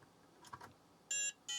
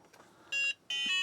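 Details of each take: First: Book8088, an 8088 IBM-compatible laptop with an intermittent no-boot fault. After reseating the chips it gives two short, high-pitched POST beeps, the second longer; a flaky Harris bus controller chip or its solder joints are suspected, and a reflow is planned. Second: Book8088 laptop power-cycled with a flash card fitted: clean, high short beep then a longer one; normal POST beep, machine passes self-test.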